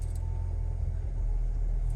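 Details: Hyundai i10 idling after an engine noise fix, heard from inside the car: low, steady idle rumble with no rattle or clatter; engine sounds smooth and healthy.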